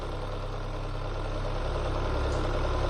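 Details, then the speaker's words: Citroen BX 16-valve after fixing a leaking fuel pressure regulator that over-fueled: smooth, even low idle with a steady beat and no stumble, knock or misfire; normal idle. "Oh wow, this is really smooth. Yeah, she's very happy now. That feels lovely."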